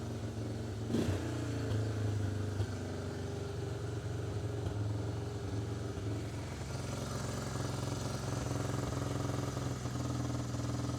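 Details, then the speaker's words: 1988 Honda Fourtrax TRX300 single-cylinder, warm, came in for carb cleaning: holds a steady, fast idle that won't drop, too high though it idled fine before; idles down on choke, owner suspects too rich. "now that I got it in here and got it warmed up you can hear what she's doing she's idled up too high and it was idled good before"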